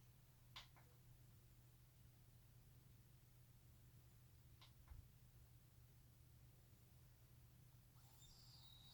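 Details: New ASUS ROG PG279Q G-Sync monitor, DisplayPort 144 Hz, speakers disabled, PC off: sharp chirpy double ticks about four seconds apart over low room hum, then a faint hiss.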